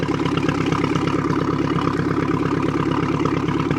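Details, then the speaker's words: 1976 Mercruiser 120 hp with acceleration dead spot, just after carburetor rebuild and refit, fogged top end so slight smoke; fires right off into a smooth, even idle with a steady low chug, no stumbles, misfires or knocks. Normal idle. "that popped right off beautifully should smoke a little bit smell a little awful because I fogged the carburator went in the top end wo that's right as rain"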